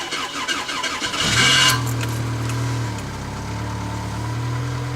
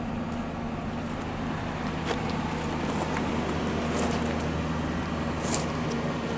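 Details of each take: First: 1994 Pontiac Sunbird LE, first start of the day after sitting all night at about 14 degrees: sluggish, labored crank for about a second, then it catches, flares and settles to a steady idle; finding: slow cold crank. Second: 1998 Ford F-150 pickup, warning lights suggesting possible brake trouble: steady even low idle with a smooth hum and no knocks or misses over faint street noise; engine runs fine.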